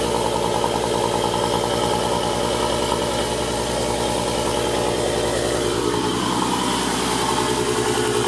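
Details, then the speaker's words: Mk4 VR6 (Jetta/Golf/GTI) after power steering pump replacement and refilling fluid, original pressure line kept: even, smooth mid-pitched idle hum with no whine or groan from the pump; normal idle. "okay so I added fluid and makes no noise feels a lot nicer I mean it's up in the air but so far so good just listen to it run"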